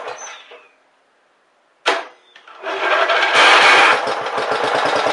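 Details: Briggs and Stratton Power Built 12.5 HP flathead Model 28 mower engine, first start after rebuild: few pulls, then single cylinder catches into quick even firing; normal running.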